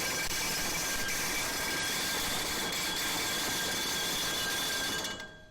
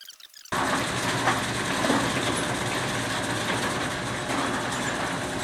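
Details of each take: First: Overhead rolling fire door on a LiftMaster LM21XP release, drop-tested after an adjustment. A steady rattling roll ends abruptly when the door lands after about 6 seconds, right at the minimum limit; aiming for closer to 10 s. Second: LiftMaster LM21XP operator raising an overhead fire door before drop testing: steady, even motor drone with a low hum and no knocks or scraping as the door runs up smoothly to its correct level; normal opening.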